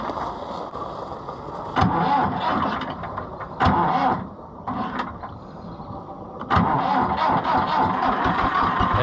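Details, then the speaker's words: International IH 584 diesel tractor after clearing a fuel blockage: rough cranking with several surges, then catches and settles into a steady run; fuel blockage cleared. "see as soon as you do that she'll take right off"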